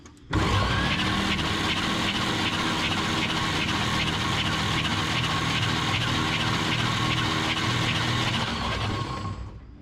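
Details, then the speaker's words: 1951 Chevrolet Advanced Design pickup after refitting the starter, cranking with battery connected: steady, even whirring crank about nine seconds at constant speed, no grinding or dragging and no smoke; starter turns the engine fine. "Sounds pretty good. I don't see any smoke. I don't smell any smoke."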